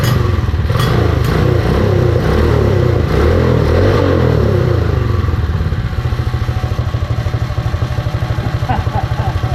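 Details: Predator 212 single-cylinder on a Mega Moto minibike after fitting a CDI performance ignition kit, battery-powered, belt off: small even thumps at a steady low idle with light clutch rattle on top; runs even and healthy.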